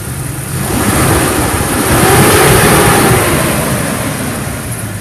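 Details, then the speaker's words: Jeep Wrangler Sport project with a failed clutch, started by jumping the starter: engine revs up smoothly and settles back without knocks or stumbles, running healthy and even. "runs really good."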